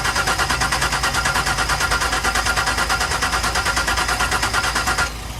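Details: 1999 Ford Explorer right after starter replacement, battery jump-assisted. Strong, even cranking at about three turns a second for five seconds without catching; the starter is fine, and the owner thinks the engine is flooded from repeated attempts.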